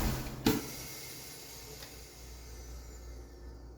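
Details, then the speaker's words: LS4 Impala engine at shutdown with PCV temporarily rerouted into intake: after shutdown clunk, hiss lingers and fades about four times longer than before; excess crankcase pressure has nowhere to go and bleeds off slowly through the system. "time. Like four times longer than with it the other way. So what that means here is that excess pressure has nowhere to go. It has to find its way through the through the system to release that excess pressure."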